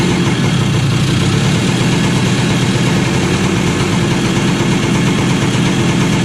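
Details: 2001 Kawasaki KE100 two-stroke, cold, little choke, after Mikuni carb rebuild with new needle: steady idle with fast even crackle, pitch climbing as it warms, no misfires; runs well, though hesitation under load remains.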